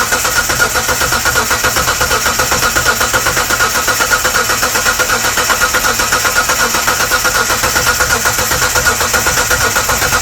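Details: 1998 Mitsubishi 3000GT Base SOHC 3.0L V6, sat over 12 years, with new distributor, coil and power transistor unit and strong spark: steady, even cranking about eighty pulses a minute that never catches; no start, probably because the distributor is installed 180° out.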